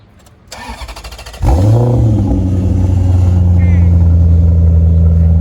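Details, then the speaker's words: Fire-damaged salvage Maserati with Ferrari-built engine and aftermarket exhaust; short crank, catches with sharp rev flare, settles into steady even idle with no check engine light despite fire; starts clean and runs healthy. "You know you've got a great Italian car when it can catch on fire and you can still turn it on with no check engine light."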